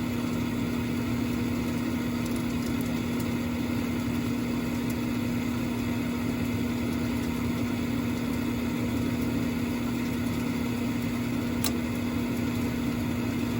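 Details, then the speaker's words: Carrier Infinity furnace after igniter replacement for no-heat fault, test run: steady inducer hum, igniter glows, single sharp click, gas lights with flame before blower starts; normal burner ignition. "I think that's gas. I got flame. Now the flame sensor should make sure that there's a flame, and then you'll hear the blower come on."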